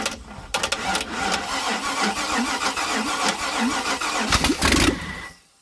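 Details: 1956 International R180 with a junkyard 454 V8, first start, open exhaust. Brief cranking, then the engine catches and runs loud and lumpy before shutoff. No smoke; sounds like it's hitting on all eight: normal start.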